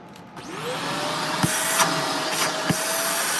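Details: Suction check on a vacuum (apparently a Shark) after releasing the handle. The motor spins up quickly into a steady, even whine with no surging or whistling: strong, unobstructed suction. A crack is afterwards found near the on switch.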